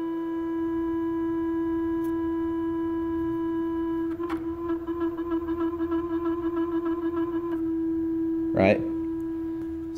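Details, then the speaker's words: Teknic ClearPath servo on WorkBee CNC router Y-axis, tuned toward stiffness: constant mid-pitched hum while holding position, warbling when jogged; fixed by setting tuning to full quietness: servo motor whine when holding position. "the motors I guess it's trying to work a little harder to hold position but it's it's also making some noise right so that's not desirable"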